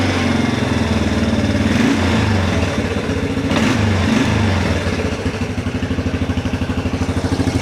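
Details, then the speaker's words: 1994 Yamaha Big Bear 350 quad revived after sitting years, still cold: after a rev the single winds down slowly over several seconds before idling; parts suspected sticking, unconfirmed. "You can hear it takes a little bit for it to come down. I think everything's just kind of sticking a little bit, but once we move stuff around, get it warmed up, we're going to take it for a quick test drive."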